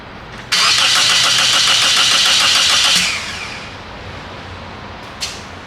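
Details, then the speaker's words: 2003 Toyota Corolla 1.8, towed in for no-start: fast even cranking for about 2.5 seconds with good compression but no hint of firing; no spark, later traced to the insurance company's ALDL adapter. "so you heard it turn over it uh turns over nice and even nice even Cadence so it's not like a compression problem uh sounds like it has good compression but uh there's not even a hint of fire"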